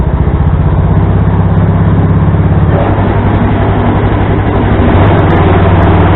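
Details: Craftsman tractor with adapted 42 or 48 inch snow blower, loose belt fixed by adding a tensioner pulley from an old mower deck: small engine thumping at a fast, even beat, pace rising midway; runs smoothly under blower load.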